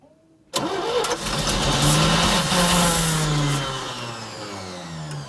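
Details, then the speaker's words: Old 3-ton grain/gravel truck just after fuel pump replacement, borrowed John Deere battery: engine catches with a rough burst, revs briefly, then winds down and dies; starts but won't stay running, suspected plugged filter under big bolt, not confirmed. "Yeah, it's all hooked up. He just doesn't want to stay."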